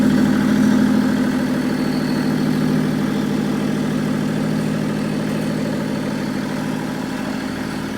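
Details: Nissan Patrol with swapped BMW M57 bi-turbo diesel and 6HP28 six-speed automatic, first start with fuel pump just connected and no exhaust fitted; loud open-pipe idle with steady even clatter, no misses or knocks. Engine idles healthy.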